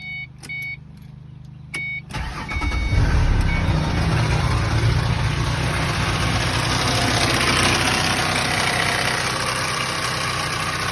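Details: 2005 Ford Mustang V6 petrol starting and idling with a busy, uneven rattle; low oil pressure warning shown, no codes; cause unknown.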